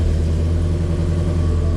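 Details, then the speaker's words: Ford Mustang GT350 with twin-turbo built engine, first start after build: deep, steady burble with an even low rumble and no knocks or ticks; started up perfect, normal idle. "started up perfect. No way, dude. She lives again."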